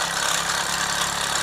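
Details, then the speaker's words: Mamod SR1 steam roller (1963/65, probably 1965/66), with rubber tyres, running on rollers: even chuffing, light hiss, steady low beat, no knocks or misses; a little faster than before, extremely smooth; normal running. "Extremely smooth runner there."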